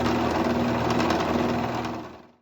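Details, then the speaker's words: King PDM 30 round-column mill spindle after greasing the splines cured its loud clunking: a smooth whir with a steady hum, then it spins down to a stop with no clunk or knock. "Can't understate the need for good lubrication."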